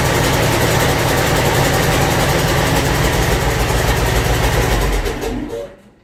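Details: Land Rover 300Tdi diesel destined for a Ferguson TE20 swap, test-run with a 24V starter, a 12V fuel solenoid and no exhaust fitted: loud, raw clatter running steadily, then winding down to a stop. The engine runs evenly.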